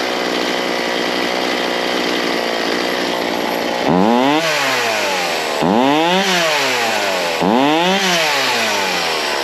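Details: Ryobi C4618 chainsaw, warmed up, after setting low and high jets and idle from scratch: idles, then three clean quick blips to full revs and back, no hesitation or stumble; normal revving, carb set right.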